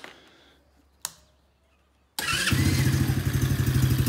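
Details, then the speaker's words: Coolster 125cc ATV, modified with boot-mounted carburetor: quiet lead-in, then catches quickly into a steady, even single-cylinder putter without backfire; starts and runs cleanly. "This thing runs good. Doesn't really backfire. Runs solid. It's good to go."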